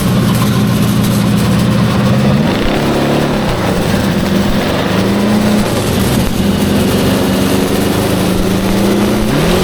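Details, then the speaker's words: Custom-built transverse V8 go-kart, about 900 lb with driver, on a performance carburetor kit: smooth at low revs, then an uneven, stumbling drone as it breaks up under throttle at mid-high rpm. Owners suspect the carb needles and plan to drop them. "It sounds like it's still breaking up at kind of the middle high."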